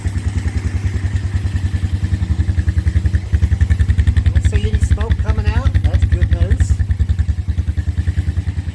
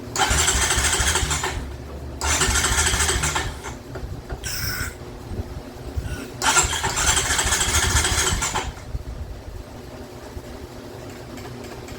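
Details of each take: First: 2007 Honda Recon ATV, wrecked and left sitting 8–10 years, started without any repairs: an even, steady putter of about 3.5 beats per second with no misses; a clean, healthy idle. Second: 2007 Honda Recon ATV, wrecked and left abandoned in a field: three long starter bursts with brief catches that never keep running. It tries to run, but the carburetor is seized tight.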